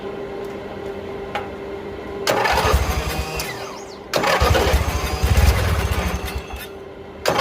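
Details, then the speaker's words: Old mower, vacuum fuel pump on the carburetor run off crankcase: catches in short ragged bursts, sputters and dies between them, never holding an even beat; owner suspects carburetor or fuel pump. "All right, we got carburetor issues. Probably the fuel pump."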